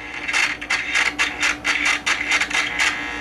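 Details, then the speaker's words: 1948 Motorola 5A7A portable tube radio: irregular scratchy crackling bursts, about two a second, coming and going as the dial turns; tuning capacitor plates rubbing, dead-shorting at the touch point, likely the last end plate. "like a dirty tuner this one you can actually get past the point where it touches and that's where it's dead shorted and then when you move it a little further receptions back in but it's rubbing"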